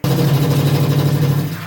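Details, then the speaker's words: Noisy tap: a loud, low droning buzz with a fast shudder, water hammer caused by a loose tap washer rather than loose pipes, fixable by sorting the washer. "That noise right there is one of the most common ways that people get conned and scammed for thousands of dollars when you can literally fix it for free."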